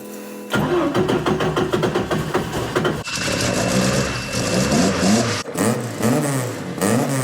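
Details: Ford Mk1 Escort with rear-drive ST170 engine and new A.L. Developments cylinder head, first start since the head was fitted, on a jump pack with water, no coolant: cranks briefly, fires cleanly, revs and settles crisply with no misfire; healthy.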